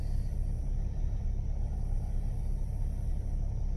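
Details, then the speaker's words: 2000 Jeep Grand Cherokee at idle after fan motor and radiator replacement: smooth, even low whoosh as the cooling fan spins up, no rattle or scraping; normal fan operation. "yeah I can hear the fan running let's watch what it does before the fan would run in it would just keep climbing because it wasn't spinning at the rate rpm"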